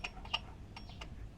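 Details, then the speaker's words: Mio Soul i 125 (GY6) scooter with hard starting when hot: sharp, irregular metal-on-metal ticks over a quiet engine, seemingly from the tensioner area not the magneto; cause unconfirmed, valve clearance adjustment and CVT check planned. "Ayan oh kaya yun hindi normal Yung tunog na to inobserbahan ko yung tunog parang hindi naman sa Magneto nanggagaling parang dito sa may tensioner a kaya bakal sa bakal"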